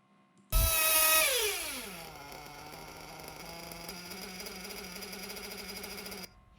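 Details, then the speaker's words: 1/8 scale RC nitro engine with lean low-speed needle: high scream drops to idle, then idle rpm creeps upward because the engine lacks fuel at idle. "okay so now the opposite happens so the revs pick up nicely you can hear the top end is good drops down to idle okay but then almost immediately you can hear that the idle revs are going up so the rpm on idle goes up because now the engine isn't getting enough fuel on idle"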